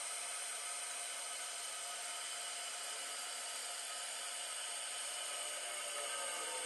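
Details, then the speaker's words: American Standard toilet (believed Champion 4) after replacing washer and O-ring to stop constant running: steady, even hiss of water refilling the tank with no sputter or gurgle, then it stops and doesn't run again. "Well, it stopped, guys, and it stopped, and I don't hear it running again."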